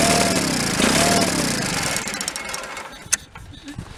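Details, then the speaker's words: 1985 Case Ingersoll 448 Hydrive tractor, Onan B48M/B38M twin, carburetor top off, no choke: starter cranks with even whir and faint sputter, never catches; zero fuel coming from fuel pump, cranks but will not start. "I'm going to give it a little more chance, but we have zero fuel coming out of there."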